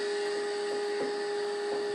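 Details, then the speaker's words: Old oscilloscope cooling fan running during IF alignment of a restored Philco 90 radio: constant mid-pitched hum with a slight rough, ragged edge and no change in speed. Worn, noisy scope cooling fan. "don't worry about the noise that's just my raggedy old scope fan cooling fan"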